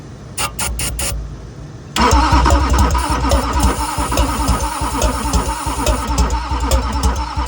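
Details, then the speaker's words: 2001 Duramax LB7 diesel pickup being revived: starter churns steadily at about three beats a second after a couple of short bumps while ether is sprayed in the intake, but nothing catches; cranks without firing. "so now I'm going to crank it while spraying it with ether and see if it'll hit that way"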